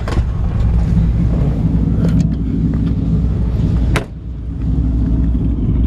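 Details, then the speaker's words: 1954 Ford F100 pickup with a 302 V8 and automatic: deep, even low rumble at idle, steady and smooth with no knocks, misses or lope, apart from a brief handling bump; normal V8 idle. "nice and clean under the hood you can hear the engine runs perfect"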